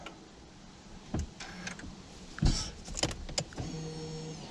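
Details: Honda Civic Type R, electric parking brake after a pad change: a couple of clicks, then a short even electric whir as the brake motors apply; normal.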